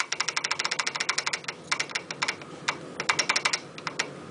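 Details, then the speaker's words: Royal Enfield UCE500 engine off, cam wheels rocked by hand: quick bursts of sharp light metallic clicks from gap between exhaust and inlet cam wheel teeth; excessive cam gear backlash, reset via eccentric cam spindle sleeves. "now the sound what you are getting basically is called backlash when you ride the bike when you accelerate the bike the total load comes on the cam Wheels"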